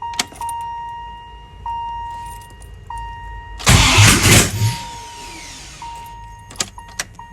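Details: 1994 Jeep Grand Cherokee, rebuilt 5.2L Magnum V8 first fire-up after NV4500 manual swap, oil primed, no exhaust yet: warning chimes, short crank, engine catches with loud open-pipe roar and settles to an even idle.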